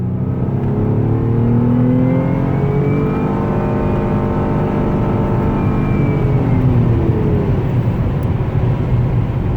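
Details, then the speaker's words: 2011 Nissan Maxima SV 3.5L V6 with CVT, 156,000 miles, full throttle from 30 mph: clear whine rising steadily in pitch with road speed over engine drone, drivetrain whine under acceleration. "So, anyway, car drives pretty good. I like it. Hear that whining sound? Let me show you."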